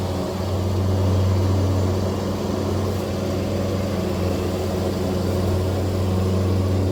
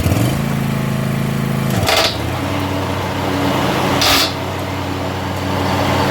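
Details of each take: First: John Deere zero-turn mower, blades engaged after removing and refitting the blades: a steady, even drone with no ticking or scraping; the noise is gone. The owner suspects a slightly bent, warped or worn left spindle caused it, not confirmed. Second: Commercially used box-store John Deere zero-turn mower with blades engaged, after reseating a brand-new set of blades: a steady engine drone broken by scraping bursts about two seconds apart from blade tips clashing; no noise without blades or with the old blades.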